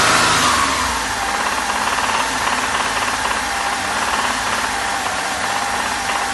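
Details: Hyundai Terracan 3.5, driven a lot and hard: steady knock of about three to four a second over busy engine roar at 2000–3000 rpm; on LPG, pinching cylinder 4 gas feed stops it; suspects lifter, rod bearing, wrist pin or piston.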